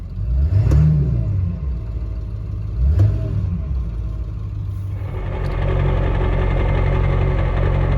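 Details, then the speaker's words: Ford 7.3 Powerstroke diesel with rebuilt upgraded turbo and exhaust, back after a drive; two light throttle blips rise cleanly and return to smooth even idle with no knock; normal, healthy engine. "A little light revs now that we're back."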